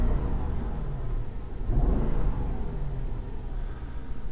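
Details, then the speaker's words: 2004 Mercedes-Benz E500 AWD wagon, 330K, warm V8 idling with an uneven, lumpy misfire, stumbling through a short rev; ran smoothly at cold start that morning; misfire on one cylinder, owner unsure which, cause not confirmed. "pop the hood here we are as you can see it's misfiring pretty good the motor is doing this number"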